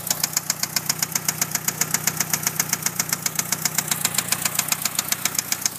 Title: 1997 eclipse Gst knocking/ ticking noise?????